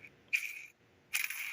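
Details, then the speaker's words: Cheap aftermarket roller lifter for a 1973 Camaro LT1 build, cleaned and spun by hand on the bench: short gritty rasping spins, rough and inconsistent compared with the much smoother one; rough roller bearing. "that just doesn't sound good compared compared to the other one that sounds so much smoother"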